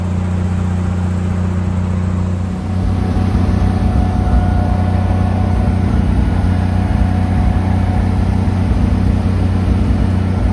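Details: Lincoln SAE300 welder with a Chevy inline-six, after ignition circuit repair, choked, primed and cranked at about half throttle: settles from cranking into a steady, even run with no misses or knocks. Healthy.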